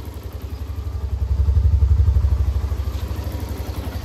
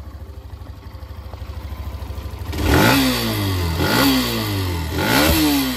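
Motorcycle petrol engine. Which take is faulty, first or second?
second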